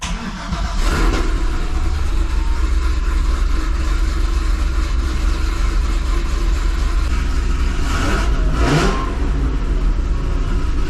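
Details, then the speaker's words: 2005 Chevrolet Corvette V8 with 2-inch headers, first startup after welding on new V-band exhaust flanges and replacing the driver-side manifold gasket: fires right up, blipped twice, smooth even rumble; exhaust leak mostly gone, a little may remain. "it seemed like some of the exhaust leak was gone there still might be a little bit there"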